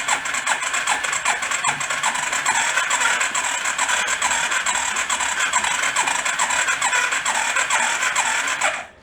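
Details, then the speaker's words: Homemade rat rod 4x4 ATV long stored, started on a jumper pack: cranking with a rough uneven chuff about twice a second, sputtering and popping back through the intake; owner suspects the intake isn't sealing and is blowing out the carb. "sounded like a pop back through the intake didn't it the compression is getting a little bit better as it runs"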